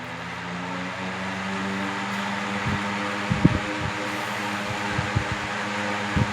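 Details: 1970s 16-inch Toastmaster box fan fitted with a temporary blade set from a 1940s desk fan, running on low speed with the guards on: a low, steady, even drone with a few light clicks near the end; it spins up smoothly with no wobble.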